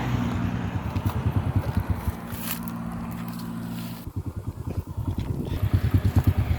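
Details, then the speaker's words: Honda small single-cylinder motorcycle after fixing stall-and-jerk on pull-away: clutch shoe assembly repaired; idles evenly, blips and pulls away cleanly without stumbling or stalling. Normal running. "โอเคปกติแล้วนะครับทุกอย่างที่มันเสียนะครับมันย่อมมีสาเหตุนะครับ"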